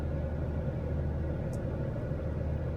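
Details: 2018 Jeep Grand Cherokee test drive after fixing P0336 crankshaft position sensor fault: low, steady engine and road rumble, no stumble, surge or knock; no dash lights, no faults on rescan, engine running fine.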